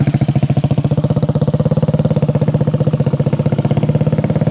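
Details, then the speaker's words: 1968 Harley-Davidson 250 Sprint single, complete frame-off mechanical restoration, after stone-cold start: crisp, even quick steady thump, no misses, ticks or knocks; strong, clean idle, normal. "Sounds really strong. Really strong. Crisp."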